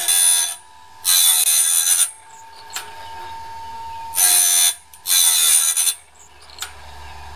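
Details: Norwood band blade sharpener after the gullet height was readjusted: short, even bursts of high, gritty grinding as each tooth passes, clean and steady. The sharpener is set right and cutting properly.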